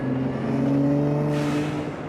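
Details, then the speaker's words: Nissan Z with upgraded exhaust, rolling on from a little over 2,000 rpm cruise toward 3,000 rpm: smooth rising clean exhaust note without drone or odd noises, raspiness starting around 3,000 rpm; normal. "it hasn't got any drone or any weird noises, but at about 3,000 RPM is where the raspiness kind of kicks in."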